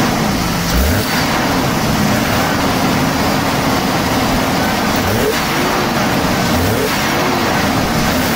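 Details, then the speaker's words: 1995 Jeep Cherokee XJ idling after installing 4-port upgraded fuel injectors with heat blanket on fuel rail; small intermittent stumble/hiccup in the idle, owner thinks it was always there and less bad now, throttle response quicker; parts cleaner recently run through intake. "like i said that little bit of a hiccup is still there but that was there i think that's always been there"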